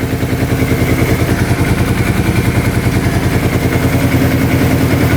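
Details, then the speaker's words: 2005 Kawasaki Prairie 700 V-twin ATV, stored a couple of years and not starting, fires up instantly and idles smooth and even with a regular low thump. The crankcase breather blows air with no oil; the owner suspects the oil was once overfilled. Airbox is off. "She fired up instantly. This is blowing air. I don't see any oil."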